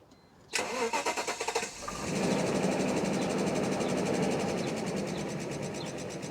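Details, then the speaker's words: 1998 Mercedes S420 (W140) restarted after running rough: short crank, quick catch, then a steady, even idle that runs better. Owner suspects an electrical cause for the earlier roughness; normal idle. "And it runs better."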